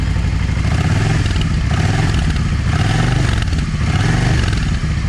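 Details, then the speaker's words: Yamaha V Star 650 V-twin, modified drilled exhaust: lumpy idle with irregular pops and stumbles as the front (number one) cylinder backfires; owner suspects a clogged or undersized idle jet running it lean; rear cylinder fine, okay once warm. "backfire is on that number one number one exhaust or the front exhaust. Anyway, the way it's doing, it's telling me that uh that idle jet is clogged."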